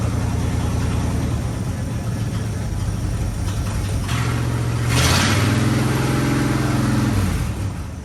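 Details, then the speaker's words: 1965 Acadian Beaumont neglected for years, cold, running on a temporary gas tank after fuel was poured down it: rough, uneven cold idle surges briefly, then sags and dies. It starts but won't keep running. Cause not confirmed. "what there seems to run pretty good as I say that it dies it's okay"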